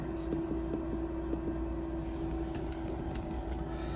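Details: Shaker incubator at 200 RPM, 37 °C holding a 400 mL LB Miller broth bottle of XL1-Blue cells; steady even hum, faint mid-pitched tone and light rattle, no knocks or grinding; liquid swirling for aeration, normal running.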